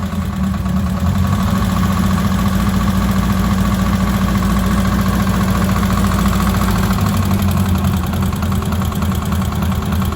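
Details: Ford Cortina turbo build, Pinto engine, first start: steady idle with a thin, constant whistle above the engine note. The leaking inlet manifold gasket was confirmed when brake cleaner sprayed there made the engine rev up.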